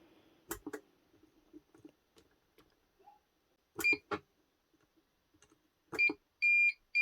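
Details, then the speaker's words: Kenwood Titanium Chef XL food mixer that keeps stopping: the motor stays silent, with short high chirps then two long beeps as it shows error E29. The cause was worn motor brushes; the mixer also had an internal oil leak. "Switch her back on again. Same thing, just shuts down. Comes up error, E29."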